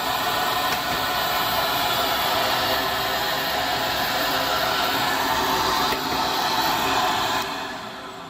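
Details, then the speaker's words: PulseRam self-cleaning tile-removal vacuum running normally: even, airy motor roar with soft pops every couple of seconds from the internal filter-cleaning valves. "So I'll turn this on for you so you can see what it sounds like. You can probably hear the valves popping on the inside there."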